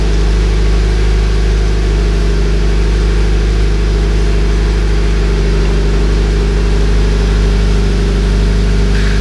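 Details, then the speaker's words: Subaru BRZ cold start after fixing the new Nameless overpipe/front pipe and Zeta catback install: steady, slightly raised warm-up idle with a smooth low drone, no ticking or puffing; normal warm-up idle. "so this is the warm-up sound so the engine's revving a little higher than normal to do the warm up and you guys will hear it kind of calm down and then maybe I'll flip it a couple times"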